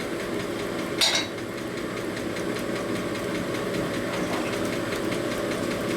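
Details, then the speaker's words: 1978 Harley shovelhead cylinder being honed; busy rattling chatter over the spindle hum with one sharp squeal, as these stones chatter and scar the bore surface even with the cut pressure reduced. "Hear that chatter? That is already scarred the surface of it."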